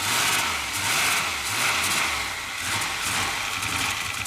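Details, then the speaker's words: Rebuilt turbo LS V8, 5.7 in place of a 5.3, in a Mercedes AMG wagon, just after first start: idle lurches and hunts unevenly with a rattly top end and exhaust smoke; tune for the 5.3 suspected, no oil leak heard. "it's the tune obviously wouldn't work because it's a five seven now instead of a five three wasn't idling there but it does run"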